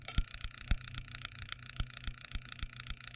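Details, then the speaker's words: V8 ignition demonstration rig, two banks of spark plugs: crisp snapping ticks about twice a second as every plug fires; ignition working normally. "there's our spark plugs firing each one and i've got two banks of spark plugs they're all firing"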